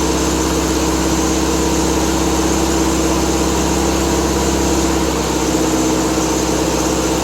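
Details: Triumph Spitfire 1500 four-cylinder, cold start on high choke after a new exhaust header and intake; first run in a week. Steady, even idle with a faint exhaust burble. Owner suspects a slight exhaust leak: normal cold-start idle.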